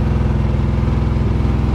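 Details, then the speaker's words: 1987 Chevrolet truck, just started with fresh fuel and no air cleaner, held on the throttle: uneven, lumpy putter with a stumbling beat, the engine shaking, misfiring and close to stalling. "it's running on its own sounds like it's misfiring yeah it's definitely misfiring way that motor shaking"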